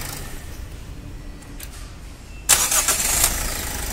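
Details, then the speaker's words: Toyota Corolla Altis after replacing the starter, whose faulty solenoid made the bendix slip: quiet lead-in, then the engine cranks briefly and catches cleanly with no slipping or grinding; normal start after repair. "अब देख सकते हैं replace करने के बाद कैसा sound ए रहा है कैसा फायरिंग है"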